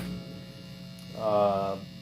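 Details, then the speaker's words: Homemade guitar delay pedal with modulation and oscillation switch, in development; constant low electrical hum under a single plucked guitar note throughout; builder suspects a grounding issue in the power section, not yet fixed. "I got a grounding issue that I've got to fix. Has to do with the power section, I'm believing."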